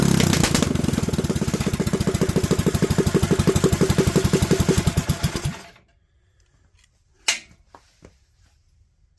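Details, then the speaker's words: Predator 212 single-cylinder with 98 main jet and .02 idle jet: even heavy chugging about four beats a second, overfueled at 3000–4000 rpm, then shuts off; running rich on too big a main jet, back to 95 planned. "that chart that we started with and we talked about moving the coverage now at about 3 000 RPMs 4 000 RPMs we've just got way too much gas"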